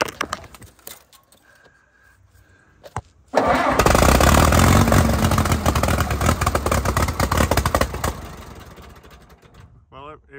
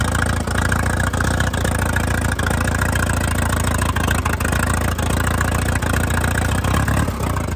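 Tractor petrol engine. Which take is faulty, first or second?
first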